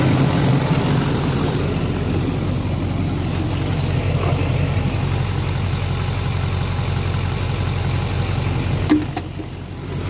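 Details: 2004 LLY Duramax extended cab long bed (PCV reroute, 3" downpipe, 5" Magnaflow exhaust) idling on AC Delco injector cleaner mixed with diesel after white smoke at idle; steady low rumble, no misses, idling smoother.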